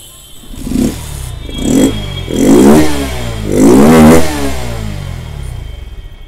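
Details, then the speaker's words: Bajaj Pulsar NS160 BS6 with starting, pickup and missing problems: revs in uneven bursts that sag and nearly die between blips, stumbling and misfiring instead of holding idle. "तो अभी जो है ज्यादा से ज्यादा बंद हो रहा है और अब मिसिंग कर रहा है"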